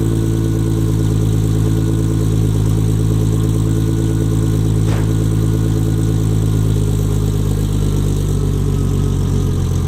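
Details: Nissan 240SX S14 with RB25 engine, after fitting a forklift starter to cure starting problems, car still jacked up: starts, then a steady, even low idle rumble with a smooth firing beat and no knocks or misses; the starter itself sounds odd.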